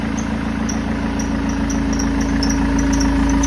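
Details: BMW 320d E90 M47 diesel idling: quick high-pitched chirps about twice a second, serpentine belt squeal; tensioner first suspected, but the fix turned out simpler.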